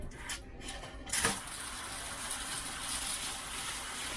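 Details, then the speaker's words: GE glass-top agitatorless washer being diagnosed for a water issue, supply valves opened into a bucket with hoses disconnected: clack, then steady strong hiss of water pouring; hot and cold supply flow normally, no supply-line problem. "and we have hot water flowing so I think that's great that means that we don't have a problem with our supply coming in from the water lines"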